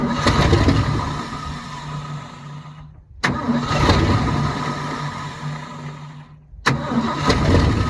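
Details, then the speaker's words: 1972 Ford F-350 auction truck on a chilly day: engine catches, runs a few seconds, dies, fires again and dies again, won't stay running; owner finds something seized/frozen, says that's why, with no way to give it gas. "So that's what the deal is. Go figure. That's why she's not wanting to run."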